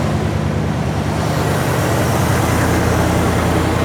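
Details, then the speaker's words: 1979 Jeep Cherokee engine, started with starter fluid after sitting over 20 years, revving on throttle with an even, steady beat and no knocks or misses; sounds pretty smooth, healthy normal running. "That's actually sounding pretty smooth. I'm happy with that."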